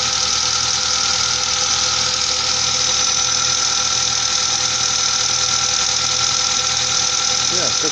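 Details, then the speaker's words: Mazda engine from 1998, idling after an attempted hydraulic lifter fix: light quick ticking about three per second over steady idle, unchanged; hydraulic lifters still tapping, fix did not help. "стчали так и стчат даже даже Ничего не изменилося"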